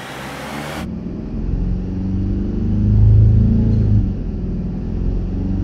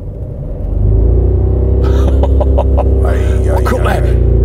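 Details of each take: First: 2009 Mercedes E 220 CDI (W212, 125 kW, 152,000 km) with a loud drone mainly under acceleration: with rubber blocks fitted under the rear mount, it runs a smooth, even hum with a brief rev swell and the drone is gone. The rear mount needs replacing. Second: 2009 Mercedes E 220 CDI (W212, 125 kW, 152,000 km) revved in neutral while stationary to about 3000 rpm: a deep booming drone swells and holds at high revs.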